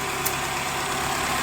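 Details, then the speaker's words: 1996 Chrysler Voyager 2.4, also running on LPG, after repair: a steady, even idle with a smooth hum and no misses or stumbles; the engine runs on gas without problems. "щелчок произошло за включился также горы работает и на газу без проблем"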